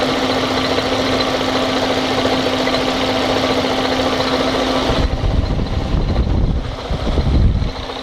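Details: 1998 Fiat Marea engine at idle: constant hum with a loose irregular knock about once a second; abnormal engine noise, cause unclear.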